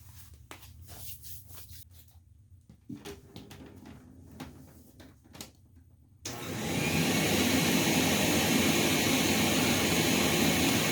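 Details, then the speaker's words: Rainbow R-2800C power nozzle motor run on the bench during refurb, with a terrible smell: handling clicks, then a harsh, gritty roar and rough rattle throughout; needs lubrication and possibly a bearing; failed motor bearing. "that sounds awful and you can compare it you can smell at least you can't smell I can smell that uh this definitely is going to need some lubrication and or possibly one bearing"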